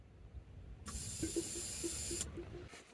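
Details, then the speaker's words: Volvo 240, fuel pump tested by jumping fuses 4 and 6: thin high-pitched whirring hiss of the main under-car pump for about a second and a half, then stops; pump working normally. "so you could hear the main pump running there"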